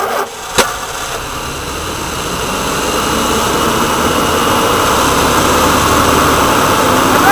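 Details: Woodgas-fuelled truck on smaller wood chunks: engine catches and settles into a steady, even run, building slightly, no knocks or misses, with the mixer valve worked by hand because the jittery Arduino servo leaned the mixture and caused surging and stalling.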